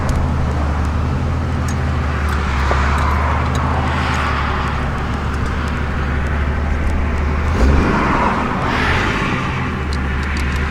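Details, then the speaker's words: Jeep CJ7 with newly built 4.6 stroker and Mopar MPI kit, first test drive cruising on the road; steady even low drone under wind and road noise, no knocks or misses; runs healthy. "I'll probably shoot a quick vid of the ride back to the house just so y'all can hear it run."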